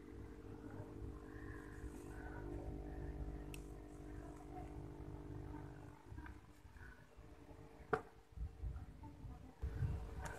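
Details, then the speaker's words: Aquarium aerator air pump after being wrapped in cloth and taped as a silencer: a low, steady hum with a faint buzz, noticeably quieter than before though not gone, with the same bubble output; muffled pump running normally. "Jadi, dapat dipastikan bahwa metode ini tidak akan mengurangi jumlah gelembung yang dihasilkan, tetapi dapat meredam suara."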